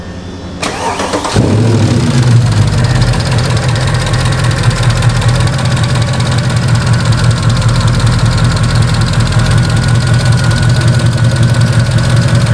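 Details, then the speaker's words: 2009 Mercedes SL63 AMG (R230) M156 V8, customer complaint of valvetrain noise; long crank then fast idle with light uneven tapping from driver-side bank 2; valve covers off revealed loose front cam caps scoring the camshafts. "so it's going tappity tap out of this Bank over here the driver side engine Bank and I wanted to show you guys how it sounds as well"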